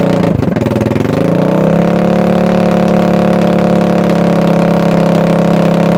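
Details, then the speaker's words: 2021 Kandi Batman go-kart, very cold-blooded, first start after cranking: sputters and stumbles for a second, then settles into a steady buzzing run, starting without starting spray. Hard starting and rough running. "It's starting without the spray. So cold-blooded. It lives!"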